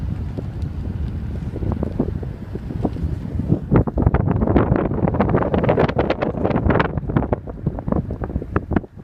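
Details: 2013 BMW 328i F30: sharp crackles and pops from the exhaust every time the throttle is released; the dealer has already replaced the exhaust twice and the noise persists.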